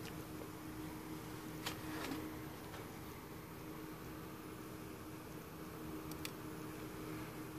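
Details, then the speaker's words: Vintage Sherwood S-7200 receiver after resoldering the driver board, right-channel preamp input shorted to ground: only a faint steady hiss and low hum with no power-supply wobble, so that preamp channel is quiet; the wobble returns when the short is removed. "that's nice and quiet there's no more bobble there but when I disconnect it Bob will comes back"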